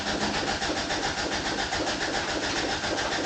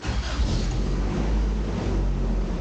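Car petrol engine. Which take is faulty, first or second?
first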